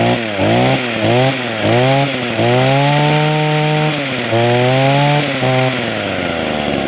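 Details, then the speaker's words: Echo hedge trimmer small two-stroke after Walbro carburetor rebuild, new primer bulb and fuel lines: blips up and down, picks up cleanly and holds a steady high rev; running properly, though owner says it could run better but will do the job. "okay but like I say it could run better it will do the job"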